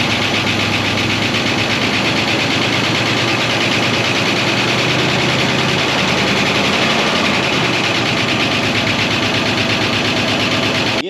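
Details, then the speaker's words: 1969 Buick Wildcat first start after 26 years parked, rat-nest smell, coolant very low: busy fast lifter ticking over steady idle, no deep knock; lifters noisy from long storage, bottom end sounds knock-free. "sounds good knock free lifters are a good bit noisy but that is to be expected with something that's been sitting for so long"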